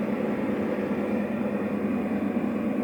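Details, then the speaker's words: 12 kW electromechanical voltage stabilizer idling with no load for about 20 minutes, 220 V in and 220 V out. A steady, airy cooling-fan whir with a low hum; unclear whether the fan should run at idle. "Funcționează la relanti aproximativ 20 de minute, tensiunea de intrare este de 220 ieșire prea 220 V Acesta este zgomotul de la ventilator,"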